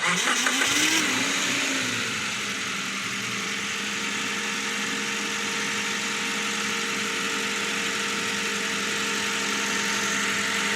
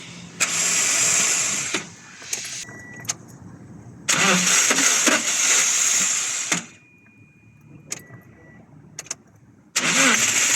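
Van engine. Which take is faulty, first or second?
second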